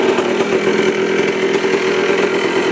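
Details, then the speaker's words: Yamaha Blaster two-stroke ATV warmed up after riding, at idle before carb air-mixture tuning: steady burbling idle with an even buzzing note and no misses, smoking; runs fine because warm. "Here's the idle. It's smoking. It'll run fine right now because it's warmed up."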